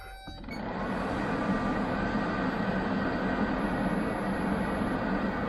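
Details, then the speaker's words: 1990 Range Rover 3.9 LHD rebuilt heater blower motor on test: click, then steady whooshing hum with no scraping or ticking; fan front could rub the plastic casing after minutes of running. "Um, and what is actually rubbing is the front of the fan is in danger of just hitting the plastic cali. You can hear it's not at the moment, but it might do after 5 minutes of operation, which we don't want."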